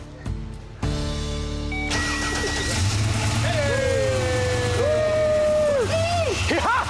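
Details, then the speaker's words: 1980 Chevrolet El Camino V8 after the coil packs, wired backwards and leaving the firing order off, were corrected: the starter cranks briefly, then it catches and settles into a steady, even idle under music; normal start and idle. "Woo! It's alive. Sounds good."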